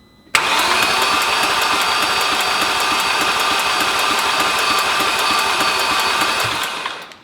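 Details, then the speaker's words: Audi S4 4.2 V8 after timing service and engine reinstall, first start prep: starter spins the engine steadily for several seconds without firing, normal priming crank to build oil pressure and draw down power steering fluid. "You're going to be running the starter quite a bit to just throw the engine over, so it's going to be doing all the work."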